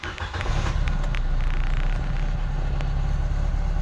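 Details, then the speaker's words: Nissan Livina with check engine light taped over: lumpy, uneven petrol idle, misfire making the whole body vibrate, also heard at the exhaust; idle sometimes normal then suddenly rough. "nahis mesinnya pincang ya teman-teman seperti itu ini bergetar sampai ke seluruh bodyi karena mesinnya mengerinjal"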